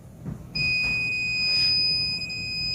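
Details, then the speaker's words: Fire alarm receiver panel gives a steady high-pitched trouble buzzer that starts abruptly and holds, after the common and fire-telephone lines are deliberately shorted at the back during a training demo; a shorted telephone line trips the buzzer. "그래서 이제 전화 선로가 쇼트가 되면 이렇게 부저라는 게 울어요. 수신반에서."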